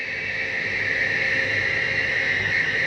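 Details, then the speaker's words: Flagstaff 832IKSB RV, entertainment/dining slide-out retracting: steady motor drone with faint uneven ratcheting as the room bottoms out; the slide mechanism stopping itself at end of travel, not real grinding, normal. "You hear that little grinding noise at the end? It's not actual grinding. That's the slide mechanism just telling itself, don't go in any further."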